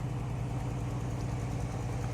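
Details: 1967 Ford Mustang convertible, six-cylinder, during a cruise; smooth, even low rumble at idle with no misses, ticks or knocks. Normal idle.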